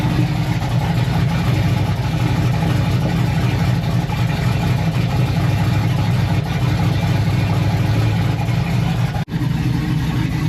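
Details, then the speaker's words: Silverado truck that sat almost 2 years, warming up at idle after battery charge; deep heavy steady rumble, exhaust noticeably loud and lacking muffling, owner suggests adding a resonator to quiet it. "I don't think you're going to want to drive it like that it's pretty loud I'm going flip the camera around I'm going to turn it off and flip it around so you guys can hear it it's kind of loud I have the rear microphone on it's a little too loud we might have to put a resonator on it quiet it"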